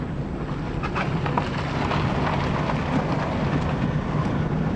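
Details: Dodge Neon after a repair for a front-end thump: steady low road rumble over rough pavement with no thumps or knocks; the front end rides quiet.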